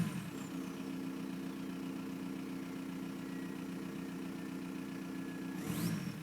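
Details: 1999 VW Golf Mk4 GT TDI (AHF diesel) after a long start-up: diesel clatter at steady idle with uneven, lumpy beat underneath and loud turbo whistle rising near the end; rough idle.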